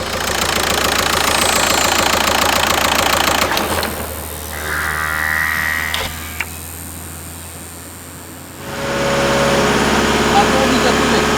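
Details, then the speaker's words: Diesel car with abnormal turbo noise, heard after fitting a used valve-block part from a dismantler that did not fix it: steady busy run with a thin whistle rising about a second then fading; cause unclear. "Valica: if it already makes that sound, it means that something's not OK."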